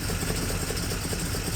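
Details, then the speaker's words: 1958 Plymouth barn find that sat about 30 years, running before its first drive under its own power: low, even V8 burble with a steady loping beat, quiet, no knocks or ticks; healthy idle. "wow wow listen to that exhaust man she's running good I cannot believe this nice and quiet up here"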